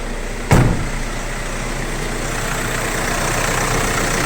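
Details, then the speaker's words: 2012 VW Crafter 2.0 BiTDI twin-turbo diesel, about 270,000 km, weak battery, owner complaining of a knock and power loss: slow crank, then a smooth, even idle with no knock; it also drove without power loss. "Да есть же вроде как ровно работает стука не слышно"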